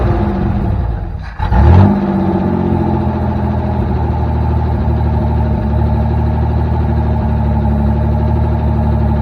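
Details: 1984 Chevrolet S10 carbureted engine sags nearly to stalling, caught with a quick rev, then hunts unevenly and won't idle with choke off; owner suspects a vacuum leak or misadjusted throttle screw.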